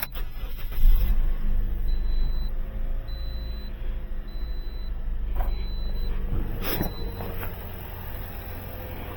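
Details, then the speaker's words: After a tune-up and fixing a poor battery connection, the engine cranks briefly and fires right up with no hesitation, settling into a smooth, steady idle as a dash chime beeps; normal start. "fires right up. No hesitation this time."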